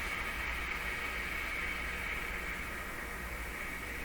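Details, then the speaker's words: RCA Victor A38 shortwave tube radio on the bench during IF alignment near 455 kHz: constant hiss and crackle with a thin high whistle through the speaker, shop electrical noise rolling through the IF; electrical interference. "these are all noises here in my shop seeing roll through the uh if"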